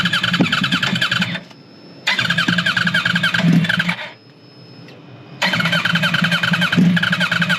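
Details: Wrecked 2009 Yamaha R1 being rebuilt: three bursts of fast even cranking about three and a half turns a second with pauses, never catches; owner suspects the fuel pump wasn't hooked up earlier.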